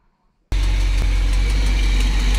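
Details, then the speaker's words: 1987 Coachmen Class A motorhome big-block Chevy V8 idling after thermostat replacement, being warmed up to check for leaks: deep, loud idle with faint sharp ticks, like tapping on the microphone, from a bad exhaust manifold leak on the right side; new manifolds bought. "right you can probably hear that terrible exhaust leak down there on the right it probably sounds like a tapping on the microphone"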